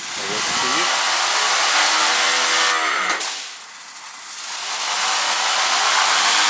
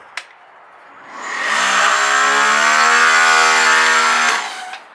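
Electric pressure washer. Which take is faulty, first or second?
second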